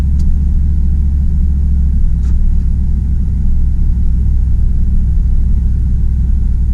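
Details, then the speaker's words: 2004 Dodge Dakota with 4.7 L V8 and 117k miles, cruising at low speed with temperature and oil pressure normal: deep, even engine rumble with no knocks or misses; normal running while driving. "so how here's here I'm just cruising around a local park low speeds as you can see the temperature holds well the oil pressure everything is in at normal levels"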